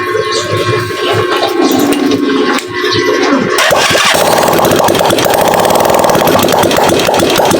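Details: Rusi Macho 150 motorcycle after repair of loose, oil-leaking side part, fuel low: engine catches after a few cranks and settles into a steady, even run with no misses or knocks. Normal running.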